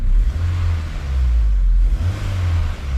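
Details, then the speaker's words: Honda S2000 towed in not running after a funny noise and check engine light; after the repair (suspicions confirmed, not major), deep, even engine note swelling and easing with each throttle blip, no stumble or miss; crisp, healthy revving, good to go. "nice and crisp this one's good to go"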